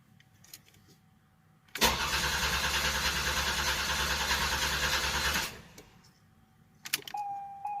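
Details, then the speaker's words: 1988 Buick Reatta 3800 V6 that sat for years (three or ten stated), cranking. The starter turns it evenly for about four seconds but it never catches; little fuel is coming through, and the fuel pump is to be replaced. "so the next thing we're going to be doing is uh trying to get that gas tank dropped down and i guess putting a new fuel pump in it"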